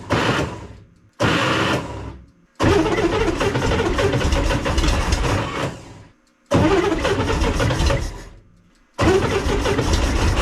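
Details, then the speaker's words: 1965 Corvair with twin carburetors, started after sitting all winter: four cranking bursts of a second or two each, churning but never catching. Owner suspects flooding from too much gas and a loose or failing starter. "that's a lot of gas definitely doesn't like that gas really floods it out try again"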